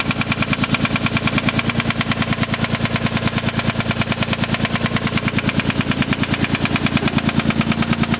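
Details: 1993 3000GT SL with 109k miles at idle: loud, sharp knock about three times a second, tied to crank speed and sounding bottom-end; owner suspects a spun bearing, not confirmed.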